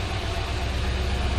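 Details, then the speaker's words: 1963 Ford Falcon Futura convertible V8 with added dual exhaust, started after sitting a while, likely some bearing wear, oil light goes off on start: mild even low burble from twin exhausts; normal idle. "It's got the twin exhausts out the back. It's just got a little burble without being rowdy,"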